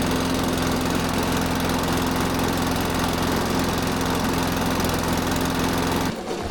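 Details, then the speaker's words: Benchmark mower, earlier a no-start blamed on skunky fuel left in an undrained carb: a coarse, lumpy single-cylinder chug at steady speed with a low hum, then shutoff. This rough sound is normal running for this engine. "Yeah, that starts and runs and drives on its own and all that. I always get hesitant whenever I start one of those benchmarks because they sound so terrible. I keep thinking something's wrong, but no, it's like Yeah, I know they're garbage. it's the engine trying to run."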